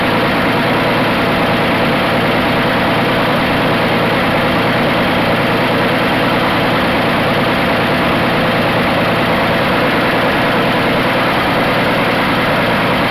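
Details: 1980 Dodge D150 at full operating temperature after a drive, with a new high-torque mini starter, idle adjusted down from too high. Even, steady idle with a low, smooth rumble and no misses or knocks.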